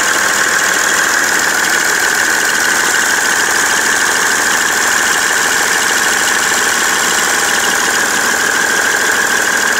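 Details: BMW 330d E91 diesel idling with smoke after replacement of the main and EGR thermostats; a dense, steady clatter with a faint irregular knock underneath, cause unknown.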